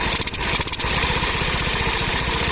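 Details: TVS Scooty Pep self-start repair: starter motor opened and fixed, before air filter refitted; short whirring crank, engine catches and settles into even quick idle; starter working properly.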